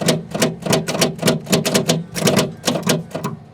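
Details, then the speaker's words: 1979 Steiger tractor with a Cummins, sat 12 years, hour meter 5244. Pressing the starter button (a spark was seen) gives a rapid dry clicking, about four a second, with no cranking. They plan to strike the starter to break rust loose; cause unconfirmed. "i do have a starter button you know i saw a little spark oh that's not that don't sound good at all"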